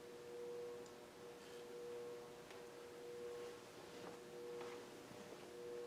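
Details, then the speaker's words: 52-inch Fasco Parlour ceiling fan, older model with variable speed control, with some wobble: faint groan coming and going under quiet whoosh, under once a second; worn bearings grunting. "And as you can hear, the bearings are starting to make some grunting sounds."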